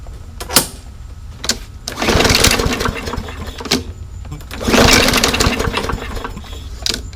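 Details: Yard Machines lawnmower after draining stale gas and cleaning the carb: catches in short ragged bursts, sputters and dies; still runs rough. An undersized jet is suspected and another carb clean is planned.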